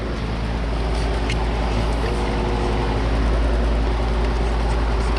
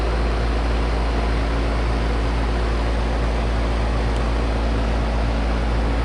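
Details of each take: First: Carrier AC unit, no-cooling call: condenser fan whooshes steadily while a low hum rises and never catches; compressor trying to start and failing, technician suspects a bad capacitor. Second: Carrier AC condenser during a no-cooling call, on a roughly 60–62°F day: strong, steady compressor hum under even fan whoosh, no buzzing or chattering; running normally, suction pressure maybe a little low.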